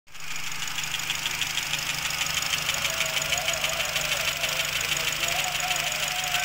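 Idling petrol engine with a fast, fairly even light rattle over the hum, from a loose intake tumble valve.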